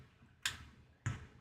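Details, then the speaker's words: Apple HomePod: two sharp pops about half a second apart in a quiet room as it is unplugged from power; failing amplifier capacitors. "let's just listen for the pop as we unplug it from power here"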